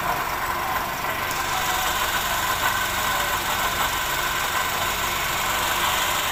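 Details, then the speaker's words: Perodua Bezza at idle: a constant dry whirring hiss above the engine, unrelated to any knock rhythm. The water pump is diagnosed as the source and is replaced with a new one. "刚刚我们已经检查到那个是 water pump 的那个声音了，所以现在我们就开始更换这个 water pump。"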